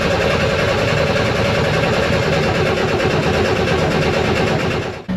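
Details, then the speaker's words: Vehicle towed in for a no start after running out of gas, cranked with a jump starter to draw fuel through an eight-foot line from front tank to rear engine: steady fast cranking churn with no firing; cranking without starting, fuel starved. "cuz it ran out of gas and was towed in for a no start so now I have to crank it to get gas from the fuel tank in the front to the engine in the back"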